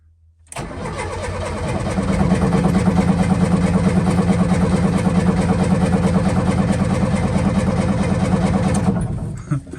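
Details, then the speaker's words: Old Lada Niva: steady starter churn, about three turns a second, for eight seconds with no firing at all. Carburetor later found squirting fuel on one side only. Crank, no start from fuel starvation. "Gonna have to get some fuel to it. All right, here we go again. One last try and we'll see what's going on."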